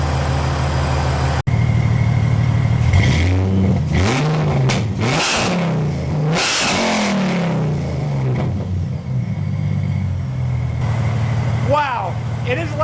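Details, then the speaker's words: 2006 Mercedes SLK32 AMG, V_tech tune, 65mm supercharger pulley, new 92mm Hellcat throttle body, free revving in a garage: sharp blips climb and drop cleanly from even idle, no misses; crisp throttle response, revs freely. "The throttle response on this is so like woo woo. Now granted, it is so loud."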